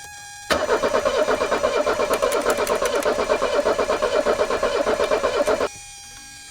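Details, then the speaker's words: 1984 Mercedes 300SD turbo diesel, first start attempt in years, after bleeding: steady cranking at about three beats per second for five seconds, no firing; diesel reaches injectors but pressure far lower than expected. "so there's diesel up here but not near as much pressure as i would expect to"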